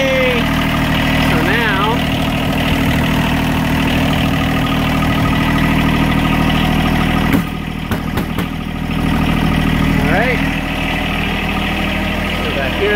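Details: John Deere 1023E compact tractor backhoe diesel idling after new battery install, first start after sitting about two weeks: steady, even idle with smooth low drone, no knocks or misses; engine running healthy.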